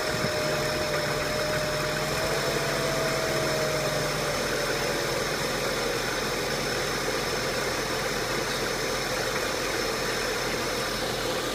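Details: 2003 Passat 1.8T at idle: steady but faintly uneven, lumpy shake with no clean rhythm; rough idle, cause not identified.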